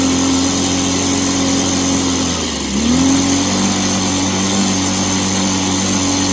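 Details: Echo PB265 ESLT backpack blower two-stroke after new crank bearings fitted, first start in a long time: steady high drone with one brief dip and recovery, no bearing rumble; much quieter than before, carb better but may need clearing.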